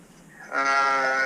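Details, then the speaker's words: Old Heil gas furnace, started after the fan door was refitted: loud steady high squeal from the exhaust draft inducer motor, not the blower. "Hear it squealing? That's not the blower. That's the inducer."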